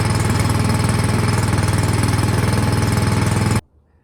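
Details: 24-inch Craftsman snowblower that wouldn't start after sitting all summer with gas in the tank, after carburetor cleaning: even single-cylinder chugging about four beats a second, no misses, until shut off; normal running.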